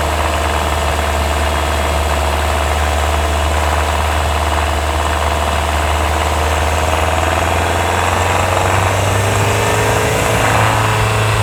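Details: 2024 Hyundai Tucson NX4 Hybrid, microphone mounted directly on top of the engine: a faint rattly edge over a loud, steady engine drone. It occurs only when the combustion engine runs under load uphill, before inspection. It is hard to locate, and some claim it is normal.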